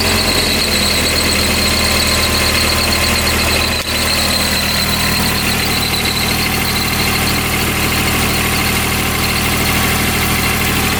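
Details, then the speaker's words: 2007 Kubota RTV900 diesel UTV on test drive: high steady squeal over a low diesel drone throughout, a slipping drive belt squeaking. "that belt is squeaking. All right, first thing we're going to do is try to fix that squeaky belt."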